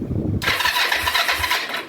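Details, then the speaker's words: 2004 Kawasaki Vulcan 500 stored two to three years, first start attempt after carb reassembly, petcock not on prime: quick high crank under two seconds never catches; engine turns over but carb float bowls empty, no start. "oh that's right we got to turn this pet Cod onto uh Prime and let them float bowls still for a minute this up level hopefully everything's okay with the uh floats and nothing sticking since we put it back together"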